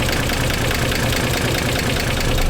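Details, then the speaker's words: 1991 Nissan 300ZX twin turbo barn find, idling: uneven lumpy idle with irregular stumble, clearly a misfire, though not sounding bad overall; also burning some oil. "so there is still a little bit about what it's like and it's clearly has a miss but honestly it really doesn't sound bad"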